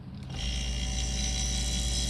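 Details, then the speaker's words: Camper refrigerator/freezer compressor that previously ran a few seconds and quit. It was fixed by replacing the start capacitor with a combined relay/start unit for 1/4–3/4 hp, 120 V. It kicks on with a low steady hum and keeps running: normal running. "You hear it come on? And it's staying running."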